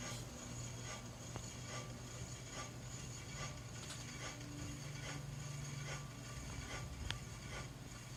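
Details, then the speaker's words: New Hunter Original 52" ceiling fan, c. 2020, just installed, running on low: faint light scrape once per blade turn over a quiet motor hum, seemingly from one side; cause unknown. "i don't know what that could be sounds like it's on this side it is super quiet though other than that scraping sound but yeah i have no idea what that sound is"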